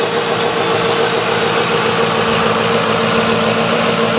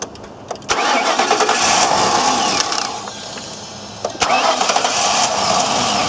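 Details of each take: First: 2004 Ford Crown Victoria, 4.6 L engine with electronic returnless fuel system, suspected fuel delivery issue after battery connection problem: settled idle with light steady hum, no ticks or knocks; normal idle. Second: all right looks like a fuel delivery issue to me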